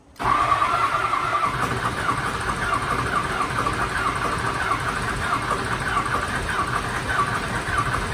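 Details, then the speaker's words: Diesel mud truck not started since February, after a fire, cranked: steady churning crank over several seconds with an even cadence and no clear catch yet; extended cranking before it starts. "hasn't been fired since february she might take a minute oh well man this thing is just like repeat i swear"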